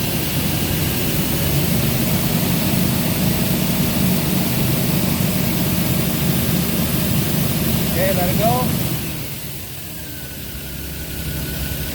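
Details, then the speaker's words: Komatsu forklift with a Nissan TB45 inline-six, low power that falls flat at higher RPM, tested with a vacuum gauge and an in-cylinder pressure transducer. Revs slowly, sounding choked and muffled, rising sluggishly before shutoff; plugged exhaust confirmed. "I guess right now it's pretty much evident what we have it is confirmed that it is a plugged exhaust"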